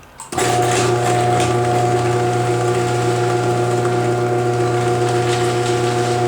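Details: Modified Chamberlain HD200D chain-drive garage door opener, recorded close up after a vibration was found: motor spins up to a steady, even hum with a light chain whir, no clatter or grinding; running quietly and normally.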